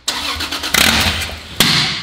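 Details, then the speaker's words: Toyota Supra on its first start attempt after a rebuild with new parts. Cranking with ragged pops and sharp bangs that never settle into a run; ignition timing seemed off, traced to a sensor not fully plugged in. "after going through the car one more time we found that one of the sensors wasn't completely plugged in so after getting that sorted we went back to the beginning to get our very satisfying first [Music] start"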